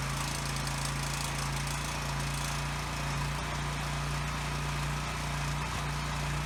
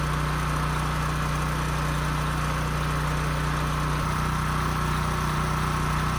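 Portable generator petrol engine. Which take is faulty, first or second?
first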